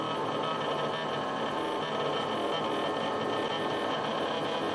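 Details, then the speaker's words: Stepper motor run unloaded near 6–6.3 ms per step: rough buzzing hum with uneven chatter, no smooth rotation, even turning backwards; caught in resonance band and losing steps. "donc il ya un moment quand on lui donne l'ordre des pas qui va pouvoir se met à vibrer sur lui même et quand il est avide il peut même retourner en arrière"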